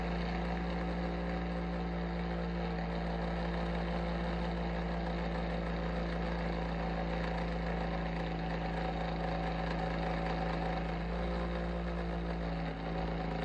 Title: Abnormal sounds from Bionaire Ceramic Heater Tower (What’s wrong?)